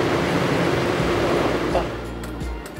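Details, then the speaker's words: MaxxFan roof vent fan over the bed in a converted camper bus, under a year old, rushes for under two seconds, clicks, then cuts out abruptly; failing fan, warranty replacement received. "Je vais allumer ce ventilateur Maxx pour que vous regardiez Il commence à bouger, mais il fait un déclic."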